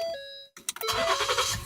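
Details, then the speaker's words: 2014 Ford Flex with intermittent pause before starting, dash lights on, cold or warm; here engine warm after half-hour drive, cranks barely a second, catches cleanly to steady idle. Normal start; owner suspects ignition switch or loose ground. "starts right up now the engine is warm because we were driving in a little while ago with at home for about a half an hour"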